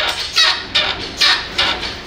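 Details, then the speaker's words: Toyota Tacoma used for hauling, driving over rough ground: sharp, high squeaks in bursts about every 0.4 seconds, creaking and squealing from a worn or broken shock absorber bushing where it mounts to the suspension fork. "tiende a hacer este tipo de ruido Como crujido y rechinido al mismo tiempo esto pasa porque se desgasta o se rompe el buje que acopla con la horquilla de la suspensión"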